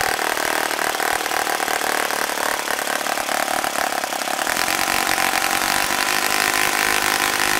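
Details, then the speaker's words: Vintage OS FS-40 model four-stroke on first run after full rebuild with new bearings, timing and valve lash set, APC 11.6 prop: loud, crisp, even buzz holding steady speed with no misses or knocking; healthy running. "a fine running engine. It looks like it's in perfect condition."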